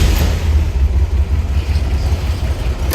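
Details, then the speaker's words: 1965 Chevrolet Corvair Corsa convertible, dual exhaust, in neutral: starts easily, low even exhaust rumble settling into steady idle, no knocks or misses; runs incredibly smooth. "See how easily it starts? Slip around to the back. I mean, the engine runs just incredibly smooth."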